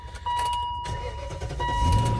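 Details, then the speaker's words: BMW salvage auction car, 177 noted: brief crank under a steady warning chime, then it catches and settles into an even idle with no knocks; sounds decent, but the battery light stays on. "wow actually sounds pretty decent all that battery light's on though"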